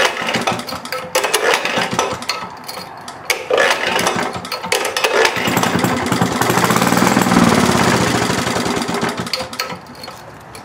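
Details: Maytag Multi-Motor model 72 twin-cylinder engine with WICO magneto, under restoration: uneven, weak putter that surges and sags, firing irregularly; it seems to be starving for fuel, running lean, a problem seen earlier.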